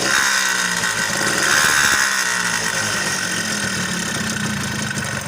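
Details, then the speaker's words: Suzuki Tornado two-stroke before repair: harsh, raspy running with a busy rattling clatter over the exhaust note; worn crankshaft bearings, a worn con-rod bearing and a scored piston and bore, later fixed by rebore and part replacement. "Karena untuk seri yang lama udah pada baret-baret yang hingga kalau kita tidak menggantinya maka akan bunyinya akan kasar seperti pada awal video tadi ya kita dengar suaranya sangat kasar sekali"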